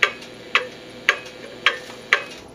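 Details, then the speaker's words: Antique cuckoo clock, before repair, swung to the right with beat numbers increasing: sharp ticks about every half second, uneven spacing and loudness, tick and tock not matching; clearly out of beat. "I'm going to swing it to the right you'll see the numbers increasing and start to hear an audible difference clearly out of beat"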